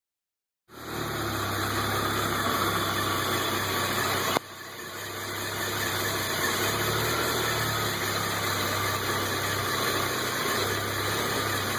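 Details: Modified Audi URS4, warm, after reassembly: uneven idle with stumbling beat and revs hunting up and down; runs fine cold but misfires badly and hunts for idle once warm.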